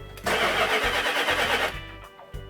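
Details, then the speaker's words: 1972 Dodge Charger Rallye 318 V8 with new battery and added fuel, cranking in an uneven labored rhythm that never catches; crank-no-start caused by incorrect spark plug wire firing order. "i heard something we got the battery replacing the crazy thing we cranked it over doesn't fire we've added fuel to it still there's no fire on it"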